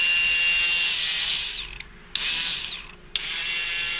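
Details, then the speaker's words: Old Aeromotive 340 LPH fuel pump from the shelf, bench-run for a Fox-body Mustang fuel system: high, steady electric whine near 8 kHz in short runs; a healthy, strong pump, unlike the weaker original. "This is an old Aeromotive 340 that we had sitting on the shelf, and you can listen to it real quick."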